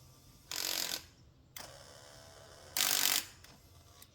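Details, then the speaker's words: Cadillac DeVille (Gigapony build) driver door power window motor, powered at the door: short bursts of harsh grinding and ratcheting each time the switch is pressed, no smooth run; stripped gear. "it's the motor okay so driver door issues solved by a new motor three more doors to go"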